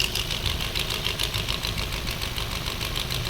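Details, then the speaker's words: Maruti Swift BS6 with CNG fitted, check-engine light on, idling before repair: uneven lumpy idle with irregular stumbles, engine trying to stall; coil check shows two ignition coils not working, only two cylinders running. "यह भी काम कर रहा है only यह दो नहीं काम कर रहे साथियों"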